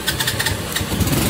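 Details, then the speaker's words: A 2018 Cub 50 uses its electric starter with a brief whir, then catches and settles into a soft, even putter. Very quiet, healthy start and idle. "Trời, máy im dữ ta."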